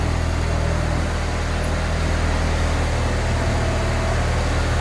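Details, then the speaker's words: AWD Honda Civic EM2, first start after turbo install with 1000cc injectors, wrapped manifold and new 3-inch open ovalized exhaust: smooth, even low idle drone, no rattles, knocks or misfires, slight blow-off heard; healthy, very quiet turbo motor. "Motor sounds good. Nice and healthy. Woo! Heard that blow off out a little bit, but dude, long road."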